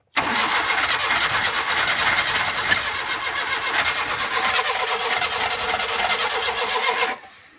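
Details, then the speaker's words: Suzuki Ravi/Bolan on a cold morning start: the starter churns about seven seconds without catching. It needs 5-7 attempts, also backfires, and runs fine once warm; spark plugs are checked first. "दोस्तों, अगर इस तरह स्टार्टिंग 5-7 सेल्फ लगाने के बाद भी स्टार्टिंग नहीं दे रही तो साथ बैक भी गाड़ी लगाती है।"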